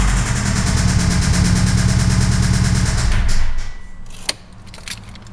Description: This is my 2005 Subaru WRX with a bit of rod knock.